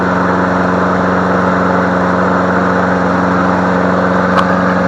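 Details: Free MTD Select Series 21-inch self-propelled mower, cord snap-back suspected from sheared flywheel key, running on leftover fuel: steady even note with smooth firing pulse, no misses or knocks; running healthy.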